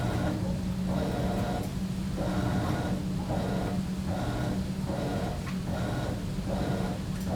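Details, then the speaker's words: High-efficiency top-load washer during wash agitation: clothes mover rotates one way, pauses, then reverses, rhythmic swishing about every 0.8 seconds over steady motor hum; normal agitation. "The close mover rotates one direction, followed by a short pause, and then rotates the opposite direction. The intention of this agitation is to mix the water, the detergent, and the close."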